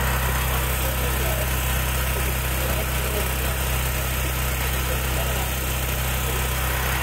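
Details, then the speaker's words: Gentron 10,000 W GG10020GL dual-fuel generator now running on gas after the carburetor solenoid wires were pulled; before, it ran only on propane. Steady, even drone with a constant low hum and no hunting or misfires. "put my phone down and turn it on so you guys can see it running all right so check it out it's running on gas"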